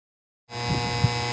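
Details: Kevler Maugong KR-310A powered speaker. A steady low electrical hum starts as soon as the speaker powers up and holds constant. This is a fault hum.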